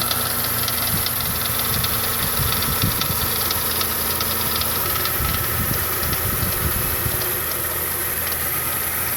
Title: FZJ80 F80 1995 Land Cruiser engine knock